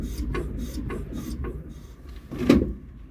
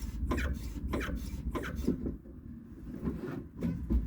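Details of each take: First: Jeep Gladiator Mojave rear shock after removal, cleaning and silicone spray lubrication: soft rhythmic swishing of oil through the shock as the truck rocks, with no squeak, unlike the untreated squeaking other side. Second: Jeep Gladiator Mojave left rear shock absorber, removed from the truck and pushed by hand, not yet cleaned or lubricated: dry rasping squeak about once a second with each stroke; owner suspects overly tight seals rather than a bad shock.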